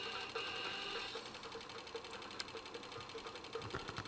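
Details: Sony MiniDisc player/recorder, possibly on battery power: light mechanical whirr with soft ticking a few times a second from the disc mechanism; abnormal noise, cause unknown.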